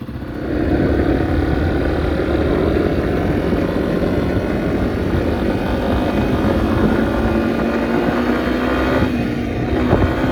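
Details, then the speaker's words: 2021 Yamaha XT250, 252 miles, after fuel system repair; clean pull as revs climb smoothly and hold, no stumble or popping under load; runs really good, reached 74 mph on test drive; normal running. "it is guys this thing runs really really good"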